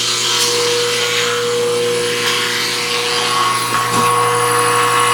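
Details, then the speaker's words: Sharnoa CNC knee mill being retrofitted after sitting a while, cabinet powered but computer off: oil/lube pump running, steady mechanical hum with a tone near 500 Hz over shop noise; pump working normally. "And then now this monitor has power, but the computer's not turned on. So now I can hear the oil pump running."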